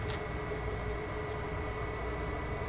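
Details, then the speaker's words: Xbox 360 bought non-working, fans slowly getting louder after power-on: steady rushing air with thin whine as variable-speed fans race; exhaust air beginning to warm as GPU heats up, not bearing noise. Overheating suspected. "now it is getting a bit loud in the air is beginning to warm up which is to be expected I mean at this point the GPU is probably pumping out a good amount of heat"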